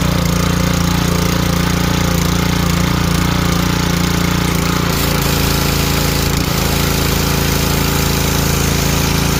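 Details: Ryobi 2900 PSI 2.5 GPM pressure washer test run just after the pump was replaced with a new one: steady small petrol engine drone with the pump pulsing underneath, no knocks, misses or surging under water load. Normal running.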